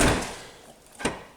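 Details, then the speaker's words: VW Golf 5 tailgate lock after wiring repair: solid thunk then crisp single click as the lock actuator throws, where before only mechanical clicking was heard; actuator now working properly. "чуєте спрацьовий замок бо було тільки механічне щолкання"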